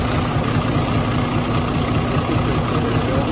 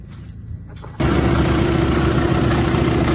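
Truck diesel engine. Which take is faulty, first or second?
first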